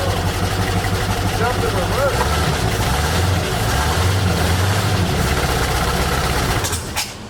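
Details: 1972 Mercury Montego MX, long-sitting, carburetor was spraying gas: big engine catches and runs with a lumpy, uneven beat and wavering idle, stumbling before cutting out; owner suspects the accelerator pump isn't working and plans to pull the carb.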